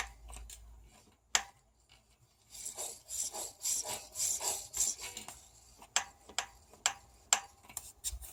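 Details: RockShox Sektor Silver TK Solo Air 140mm fork pumped: sharp dry clicks as the spring-side (left) inner tube, with about 1 mm vertical play (perhaps a worn seal), is forced up by friction and strikes the top cap.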